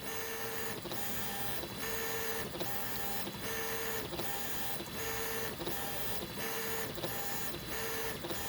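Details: Easythreed K1 3D printer after upgrading X and Y stepper motors to cure clicking, printing first layers: even motor hum, smooth moves roughly every second, no clicking or skipping; running normally after fix.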